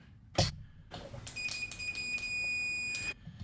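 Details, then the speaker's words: Tone King Falcon guitar amp (late 2013) being fixed for hum and buzz: meter continuity test from chassis ground bolt to pot casing after filing coating from mounting hole gives clean steady beep; pot now grounded, ungrounded casings caused the hum. "Right, now get your meter, continuity test,"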